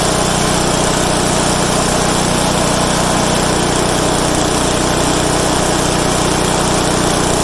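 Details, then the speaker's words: Craftsman/Troy-Bilt/MTD wood chipper with new blades replacing sharpened old ones: loud steady small-engine note under constant load with busy clatter of material being chewed through; normal chipping operation. "You saw that thing was just chewing through stuff. It's kind of scary."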